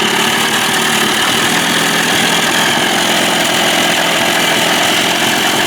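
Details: Tracey's Johnson 25 hp two-stroke outboard, high buzzy idle running steady with no sneezing or misses after lean-sneeze fix without carb removal (slow-speed needle suspected clogged, butterfly idle position adjusted); motor mounts worn; normal idle.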